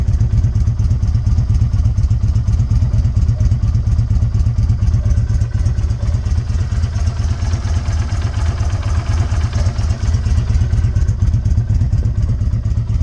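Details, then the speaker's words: 2020 Izuka CL 250 motorcycle with 500 km, which jerked and stalled while riding from a fuel fault, after the screw fix: steady, even single-cylinder putter at constant idle with no stumbling or dying; runs clean. "entonces es una solución sencilla que nos quita no ya las ponemos como se escucha la motito ya encendida"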